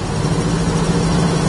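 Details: 1968 Chevrolet Camaro with four-pass aluminum radiator, at idle: deep, even V8 burble with a steady low rumble and no ticking or misses; healthy idle.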